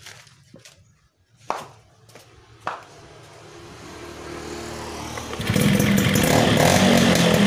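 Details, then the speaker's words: Yamaha FizR two-stroke that cut out suddenly while running from an ignition fault, now rewired (CDI spool, lighting/charging spool): it fires after clicks and settles into a steady, buzzy idle that keeps running; healthy. "Nah, kondisi menyala seperti ini untuk posisi awal tadi Kang Bro. Kalau ditunggu kapan matinya, kadang nggak mati-mati kayak gitu."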